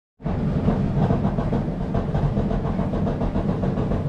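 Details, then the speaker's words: Samsung dryer drum turning: a heavy rumble with repeated uneven popping on each rotation; worn drum support wheels to be replaced. "hey everybody i'm going to show you how to fix this popup sound if you can hear the camera you hear that popping sound on off on off"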